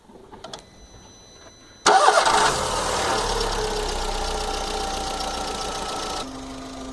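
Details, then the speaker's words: VW Fox 1.6 at 50,000 km after service with new battery, filters and correct 5W-40 oil replacing 15W-40 that caused lifter tapping at start: cranks, catches quickly, even idle with no lifter ticking; healthy. "andei já diversas vezes com o carro dei diversas partidas o carro não bateu mais tuxo nenhum momento"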